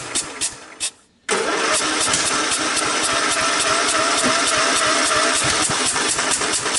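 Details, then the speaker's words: Craftsman LTX1000 with 18hp OHV Kohler, weak compression measured, after carburetor change, cranking without starting fluid: steady rapid chug for several seconds, never catches; crank no-start, owner suspects blown head gasket. "to me it sounds like a blown head gasket what do you guys think"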